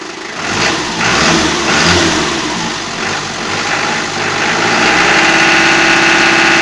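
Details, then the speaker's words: Toyota 4B diesel knock that began after an injection pump repair (plunger pair and nozzle replaced); silent under load in 4th–5th gear, but the knock appears on light throttle blips and coasting at any rpm, then fades away. "а вот когда в догоночку даешь по накату плюс как сильно уже вот этот диапазон причем надо любых оборотах"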